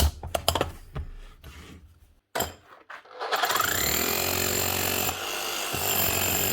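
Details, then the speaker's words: Milwaukee 545S Kango hammer after replacing burnt-out motor with new armature and brushes: after handling knocks, fast steady hammering rhythm holding under load, lifts itself with no pressure, striker compression good; normal hammering. "not so bad let get away with that she's hammering fine she's able to lift herself off whenever there's no pressure been pushed down on the handle"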